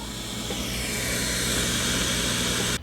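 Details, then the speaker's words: Sears Silvertone Twin-Twelve model 1474 tube amplifier during restoration, hum largely cleared: steady even hiss with a faint low hum underneath, no crackle; amplifier hiss, some component noise still remaining. "I'm still hearing some more component noise though"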